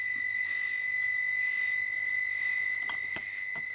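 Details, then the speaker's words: Tiny house heating blower running with a piercing, steady scream over the fan hum; one of the blower bearings is worn and grinding. "oh yeah it is screaming so obviously one of the bearings in there is a little nasty grinding away as you can hear"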